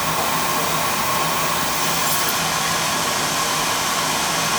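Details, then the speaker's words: Beckett oil burner after repair of a broken plastic pump coupling: steady, even roar with no knocking, normal burner operation. "there you go there's a good sound for you right"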